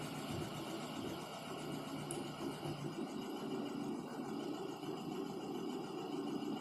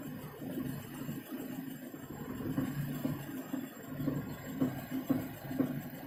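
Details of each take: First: Lada Kalina, 70,000 km, right front wheel raised, first gear, steering straight, brake applied to load the drive: engine labours and nearly stalls, steady hum with no knock from the front axle; drive joints sound fine in this test. Owner suspects right outer CV joint. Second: Lada Kalina, 70,000 km, right front wheel raised, 1st gear, steering at full lock, brake gently applied: soft regular knock about twice a second following wheel speed; owner suspects right outer CV joint, boots intact.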